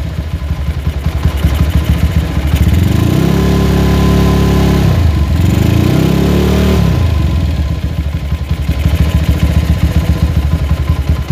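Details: Honda GL motorcycle with a loud open aftermarket exhaust, engine warm: a ragged beat as the revs swell up, drop back and swell again, so the idle will not hold steady once the engine heats up.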